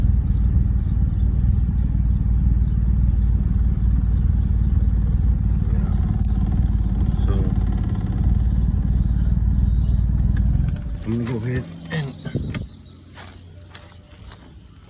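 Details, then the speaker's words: 2011 BMW 328i at idle before ignition coil change: petrol engine idles unevenly with a low, lumpy beat, then shuts off leaving a few clicks; owner suspects ignition coils. Rough idle. "So I'm gonna show you guys the rough idle that I'm talking about. See, there it goes."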